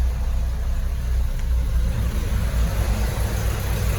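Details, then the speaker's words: 1995 or 1996 Peugeot 405 STI idling with AC on after repairs to AC and leaking power steering hoses, seals and pipes, AC cycling and cold; steady smooth low rumble, no misses, knocks or squeals; normal idle. "AC sudah dihidupkan juga, on off nya berjalan, dingin. Mudah-mudahan dinginnya kuat ya. Sudah oke dinginnya."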